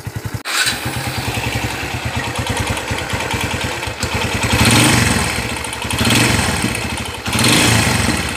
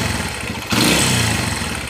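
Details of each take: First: Kawasaki Barako 175 single-cylinder motorcycle after overhaul (connecting rod, two crankshaft bearings, rebored scored cylinder) starting and settling into a steady, even idle with clean throttle blips: normal idle. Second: Kawasaki Barako 175 single-cylinder motorcycle engine started and running very loud and clattery, from a loose connecting rod and worn crank bearings needing replacement.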